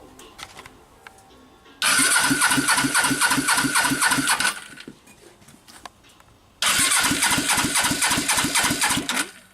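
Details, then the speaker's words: Suzuki GS500 project bike after engine reinstall, plugs fitted, carbs and fuel not yet connected: two bursts of steady cranking with even chuffs about four per second and no firing; good compression. "plugs are in let's hear how it cranks up and now there's got some compression"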